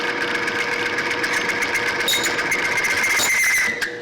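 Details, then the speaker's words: Timken bearing test machine loaded to 16 weights (rated 12): thin high squeal over the whir sharpening near the end as the bearing seizes; bearing squeal before seizure. "and we did it again now we just seize that it's like seizing your motor"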